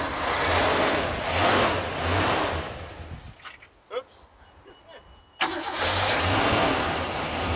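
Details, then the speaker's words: Ford/Mercury Zephyr with carburetor choke not working and weak accelerator pump, primed by drenching with gasoline: cranks and runs roughly, fades out, then fires again after a pause; hard starting. "t work and the accelerator Prime isn't working real well so it's really hard to start so I'm going to show you how to prime these"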